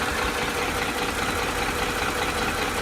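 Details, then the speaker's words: 2008 Ford F-150 5.4L 3V Triton at hot idle: light, regular knocking about two to three per second, mostly passenger side, from worn cam phasers knocking when locked; linked to blown timing chain tensioners, oil pressure loss, erratic VCT and stalling. "what that is is the phasers that are knocking when they're locked yeah hot idle"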